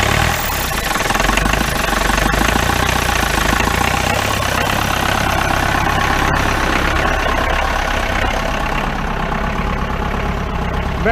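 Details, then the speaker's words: 1953 Mercedes 170D four-cylinder diesel, revived from seized, after adjusting valves and with all glow plugs bad: it ticks over with its usual clatter, firing evenly without misses or stumbles. The idle sounds healthy. "i adjusted the valves and since all my glow plugs were bad ten look at that that sounds pretty good"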